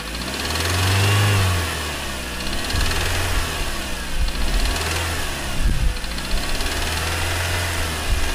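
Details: Engine revved up and down repeatedly. A hard rhythmic knock that keeps time with engine speed: a spun crank bearing.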